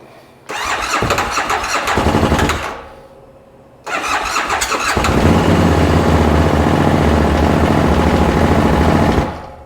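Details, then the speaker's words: 2013 Bennche Spire 800 side-by-side with a swapped ECU on a low battery: it fires for two seconds and fades, then restarts for about five seconds and cuts off abruptly; owner suspects power loss or fuel pressure, cause unconfirmed. "Boy, she wants to start for a quick second and then stop."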